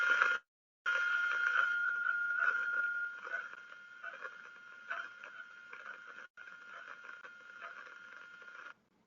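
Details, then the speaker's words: Air bubbles at the hydraulic pump inlet/suction tube, heard through an ultrasound contact probe: a steady hiss with a thin tone broken by irregular small crackles, one per bubble. Aeration breaks down the oil film, causing excessive wear and pump failure. "that crackling sound is every time an air bubble of course once one of these big bubbles slugs in there it it's it's a problem and again cavitation aeration are major major causes of pump failures and problems in hydraulic fluid power"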